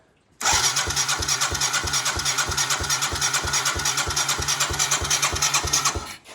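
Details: Yamaha 225DR Tri-Moto under restoration, cold, fuel line still short, battery connected, no choke cable: starter catches after a moment and the single settles into a quick, even popping idle of about three beats a second; starts and runs cleanly.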